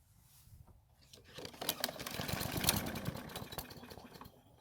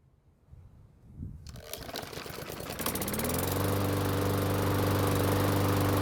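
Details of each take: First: Mower that won't start, engine manually primed with oil and some gasoline in the carb: catches, runs unevenly about two seconds, then dies; stalling suspected from a clogged carburettor jet or the fuel itself. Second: Walk-behind mower that previously wouldn't start, run after repair with the blade removed: pulls, catches, then settles into a smooth, even drone with steady pitch and no misses; running healthy.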